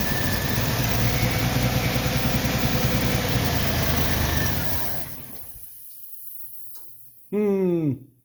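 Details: 1990 Jeep, starting on starter button with spray, suspected ignition fault: engine runs rough and fast about four seconds then fades and stalls; runs briefly then dies, owner suspects fuel tank issue and possible coolant leak.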